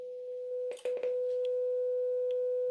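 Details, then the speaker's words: Graetz Comedia 616 tube radio after capacitor replacement, first power-up: 500 Hz generator tone injected into power amp tube, after a few handling clicks plays clean and steady, very clear, undistorted; output stage working. "as you can hear. Actually very clear. It doesn't seem to be distorted at all."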